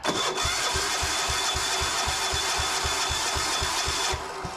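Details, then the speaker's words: Gravely walk-behind tractor repowered with a 418cc 186F air-cooled diesel (Yanmar clone), first cold start with ether: slow steady cranking thumps about four a second with no firing; cranks but won't start. "unfortunately we didn't get it going that night"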